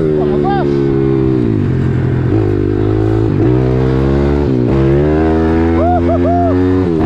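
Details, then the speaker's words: YX 140 pit bike engine with a rebuilt head, stock exhaust and long gearing, after a test ride: revs fall and settle into a steady, stable idle with smooth firing and no stumbling. Normal idle. "en l'occurrence le moteur en marche très bien il a aucun problème vous avez vu redescend bien en ralenti il est stable et aucun problème"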